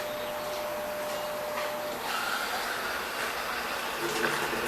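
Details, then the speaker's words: Brastemp BWG11 washer with intermittent water inlet, after fixing the fault tied to opening and closing the lid; steady even hiss of water filling, no valve buzz or chatter: normal water fill. "agora vai entrar água aqui ó tá entrando água"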